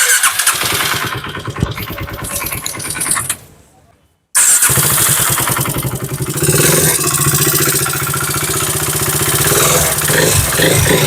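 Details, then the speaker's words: KTM RC 390 single-cylinder with coolant mixed into engine, before repair: starts, dies, restarts and revs with a fast metallic clatter rising with throttle from worn cam and rockers. "तो guys इसमें जैसे हम throttle दे रहे हैं तो उसमें जो आवाज़ आ रही है बहुत ही ज़्यादा, क्योंकि इसमें जो है सिम्स और रॉकर उसमें आवाज़ आ रही है।"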